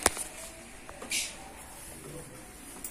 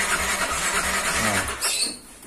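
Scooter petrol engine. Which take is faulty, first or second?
second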